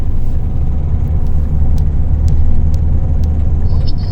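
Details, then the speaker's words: Renault Kangoo 2, 2008, 1.5 K9K diesel, driving: a deep drone rising under acceleration with sharp ticks over it. The second or third injector is knocking only on acceleration, not at idle; it is leaking and needs replacement. "Прям аж страшно. Только на разгоне. На холостых не видно."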